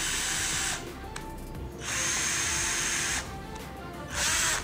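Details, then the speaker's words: Sunc S12 12 V cordless drill, battery fitted: three short bursts of harsh, rough motor whine. The speed selector sticks between speeds and must be pushed forward again to engage. "nyangkut ya. Nyangkut nih, ada suara nih. Nah, kasar suaranya. Nah, nyangkut lagi ya."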